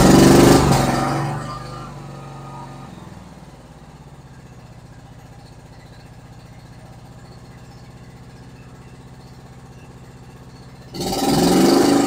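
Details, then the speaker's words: Kawasaki V-twin on a John Deere Z465 zero-turn, after carburetor cleaning, tank cleaning, new fuel lines, spark plugs and fresh gas (previously seemed to run on one cylinder after running out of gas): steady even idle, no misses; runs normally. "it seems to run really good like a twin cylinder Kawasaki should do"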